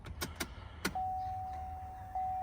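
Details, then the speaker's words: 2015-2022 GMC Canyon/Chevrolet Colorado 2.8L Duramax diesel, fuel filters just replaced, ignition on without cranking to purge air: a few clicks, then a steady thin electric hum as the fuel lift pump primes normally. "Don't start it. You can hear the pump running. There it goes."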